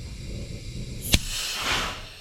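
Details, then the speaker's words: Peterbilt truck on temporary air supply after cleaning rust from valve seat, trailer valve, brakes releasing: sharp pop then half-second rush of venting air, then quiet; valve dumps the same amount each time, normal. "Oh, you hear the valve dump, and that's just emptying the line. It's the same amount of air every time as it empties the line."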